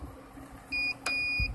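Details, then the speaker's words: Rooftop HVAC unit that lost power: meter continuity check gives crisp high beeps in three short bursts as probes touch each fuse; all fuses are good. "good, all fuses are good."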